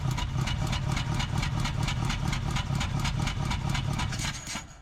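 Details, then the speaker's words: 1947 Ford Coupe flathead V8, barn-stored about 15 years, with number 1 plug wire off: runs about the same, uneven lumpy idle with irregular puffs near four a second and a low rumble; misfiring and coughing back through the carburetor. "Sure seems like it's running about the same. Let's pull that spark plug out and see if that's what's causing us to cough through our carburetor."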